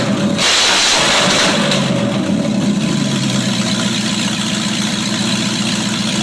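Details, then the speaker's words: 1995 Range Rover Classic LWB V8 running on MSD Digital 6A ignition with stock coil, open headers: cranks and catches, settles into steady even idle with smooth rumble; starts and runs healthy. "1995 Range Rover Classic LWB with MSD ignition. Yes, it does run off of that because if you notice there's only 2 wires to it, so this car is actually running off the MSD Digital 6A. Open headers."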